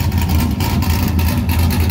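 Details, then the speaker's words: Engine running cleanly on all cylinders after sitting a while, being pulled out to get ready for drifting; a deep, steady rumble with an even beat and no knocks or misses. "like she's firing on all late"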